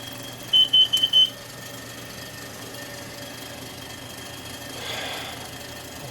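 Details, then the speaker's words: Motorhome with leaking exhaust manifold gasket seals, after running: a rapid burst of five shrill high beeps, then room hum; the CO detector is alarming from the exhaust leak. "um i went off just went off huh that's kind of scary man so yeah we have i have to definitely get that fixed at least we know that that works"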